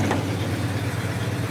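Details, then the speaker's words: 1971 Oldsmobile 442 Convertible, factory 455ci four-barrel Rocket V8, Turbo 400 three-speed automatic, cold with choke still on: smooth, even V8 idle held high, steady rumble, nothing irregular; normal cold-start fast idle. "The choke is still on, so it's idling high right now because it's still on the, choke's still on."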